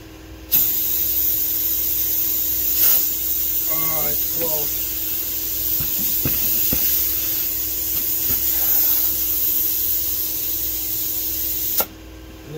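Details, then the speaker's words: Craftsman T2400 lawn tractor rear tire mounted on wide rim with sealer, inflating to about 10 psi: steady loud hiss of air rushing out for about eleven seconds; bead not yet seated on the rim. "the tires hold 10 pounds is all I just got to get that bead to pop"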